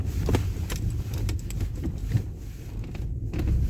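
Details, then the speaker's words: Hyundai Elantra HD driven on a badly broken road after replacing stabilizer bar bushings and fitting repaired shock absorbers, earlier knocks included a rear shock mount; only low even road rumble, no knocks or clunks. Quiet suspension. "То есть тишина в машине. Наконец-то я услышал."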